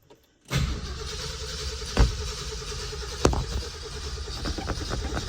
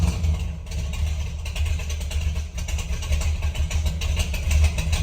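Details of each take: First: 1968 Ford F250 with a rebuilt 390 V8 and 57,000 miles, started after sitting over a year and a half: the starter turns slowly and unevenly, sagging between compressions; the battery is struggling, with choke or flooding suspected. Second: 1968 Ford F250 with rebuilt hopped-up 390 V8, long tube headers, true dual exhaust, after sitting over a year and a half: steady, even low rumble with no misses or knocks; smooth normal idle.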